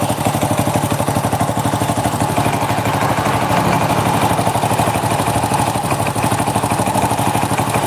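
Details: Honda Supra 100 (NF series) motorcycle engine: hard, diesel-like clatter at idle, about three knocks a second, steady and loud over the exhaust; too much crankshaft play.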